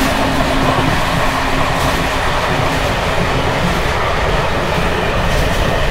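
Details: Bd264 481 coach (built 1979), Görlitz V bogies with many kilometres since last major maintenance, evening express on uneven line 190 near Hluboká nad Vltavou–Číčenice, heard from compartment or open window: loud rolling rumble with constant loose rattling from bouncing worn brake rigging.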